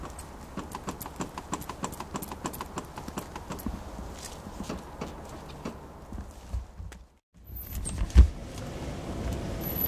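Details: 2005 Mazda6 GG, dull knock from under the car, heard in the cabin and from the right passenger side, growing gradually; fast dull clacking over rough broken road while driving, owner suspects worn steering rack.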